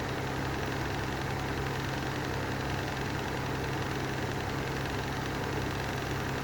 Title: Lanson style 3 exhaust fan with bad bearings